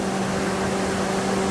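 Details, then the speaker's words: 60 kW generator with a natural-gas 5.7 Vortec small-block Chevy V8, after radiator solder repair and oil change, running with a steady, smooth constant-pitch hum and no knocks or misses; normal running. "We've already tested it. We changed the oil. It doesn't leak, runs good."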